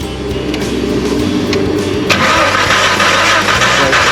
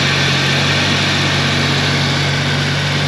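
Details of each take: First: 1991 Jeep Comanche, out of gear, good battery; steady fast cranking about three turns a second that never catches. No spark at the plugs though the coil sparks; cause was a broken distributor rotor. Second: 1991 Jeep Comanche after replacing a broken distributor rotor and a tune-up with regapped plugs; steady, even idle with a constant low hum and no misses, knocks or stumbles.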